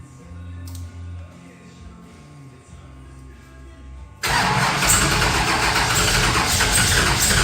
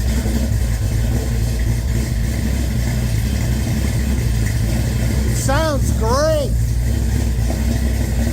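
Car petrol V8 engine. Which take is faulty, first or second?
first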